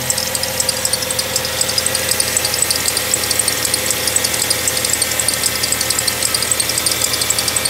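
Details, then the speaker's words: Ford Fusion with P2004/P2008 intake manifold runner solenoid codes and idle rpm too high: high, sharp chirping with light knocking about four a second, worse when revved. Water pump was suspected; the cause was a dry, rusted tensioner pulley bearing. "see if you look at that the RPMs are way too high yeah that's where the intake manifold the solenoids these are the CL for this and this is the sound it's chirping so really"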